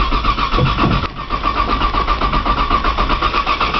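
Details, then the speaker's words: 1995 Nissan Maxima, 210,000 miles, push-button start, in cold snowy weather: starter cranks steadily at about four turns a second for a long stretch and never catches. Long cold crank, no start; cause unknown. "maximum this thing takes forever to crank maybe somebody on the internet can um tell me why it's so hard to crank when it's cold"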